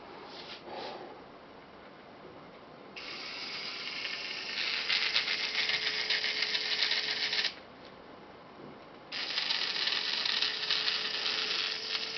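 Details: Brand-new Makita DF032D drill held upside down: short bursts with a harsh, fast ratcheting rattle over a faint motor tone; an older DF332F with the same motor and gearbox is quiet, and service found no problem.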